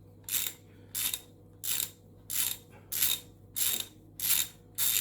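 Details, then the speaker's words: Repaired old hand ratchet driving a bolt with a socket: crisp even clicks about 1.5 per second, each identical and sharp; pawl catching cleanly, ratchet working properly in both directions after rebuild. "you can hear it clicking i love the clicks very fine and what works well"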